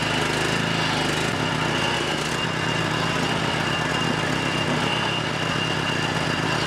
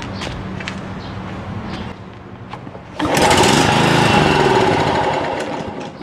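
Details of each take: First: John Deere JX75 6 hp push mower, firing only after 5 to 8 pulls: small single-cylinder engine holding a steady, even run with no misses or surging; choke still suspected of not fully closing. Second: John Deere JX75 6 hp push mower with a no-start fault, given starting fluid: it fires and runs loudly for a couple of seconds, then dies. Spark and compression are present, so a fuel/carburetor problem is suspected.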